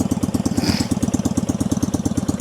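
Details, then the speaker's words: 1965 Honda CB160, 161cc air-cooled parallel twin with cut open pipes, cold-blooded and slow to start, now idling loud and lumpy with uneven beats; owner suspects a dead cylinder, and one carb float is leaking (stuck float or needle and seat). "Takes a minute to get her started. Once she starts, it's pretty cold blooded machine, but it's idling pretty good now. I still think I've got issues with the cylinder being dead, but it's a pretty loud bike."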